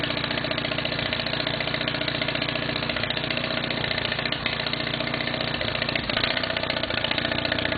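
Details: Case 646 engine that runs fine after setting the points gap to 0.020 but starts running crummy partway through a later run; fast, somewhat uneven beat with slight stumbles, cause not confirmed.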